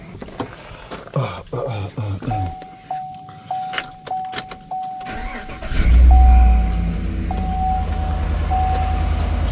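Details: Chevy Silverado 5.3 started right after an oil change with 8 quarts and a new filter, checking for leaks or smoke: keys rattle and door chime sound, then it cranks, catches quickly and settles into a smooth steady idle, no knocks or misses.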